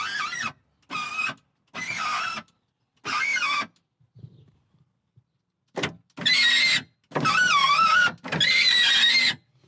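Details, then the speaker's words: BMW Mini Cooper power window: a high, wavering squeal over the motor whine on each travel, loudest on later runs, suspected to come from the top seal or window runner, which is to be lubed with silicone spray. "See if I can locate where the squeaking is coming from. But I think it's this top seal here."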